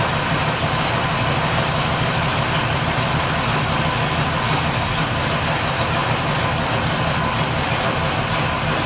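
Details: 383 Chevy V8 in a 1964 El Camino, early start-up: deep, throaty, even idle with steady low rumble, no knocks or ticks, a little noisier than hoped but healthy.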